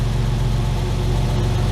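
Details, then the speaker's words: Ford Capri Mk1 3.0 GXL Essex V6, revived after 8 years sitting, run from cold with light throttle blips to check for misfires; steady even low rumble, no misses or pops; runs fine, possibly slightly rich, solid oil pressure. "little bit more and off again that's all we needed to know she's running fine I think she's running a little rich but we'll see"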